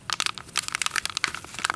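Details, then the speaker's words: Alien Gear Cloak Tuck 2.0 IWB holster: crisp irregular crackling and snapping as it flexes, from its plastic spine cracked into pieces after about two months of wear. "you can hear that it's crackling and that is the plastic spine and after about two months of wear and sitting on it and getting up and out of the car it started cracking and snapping"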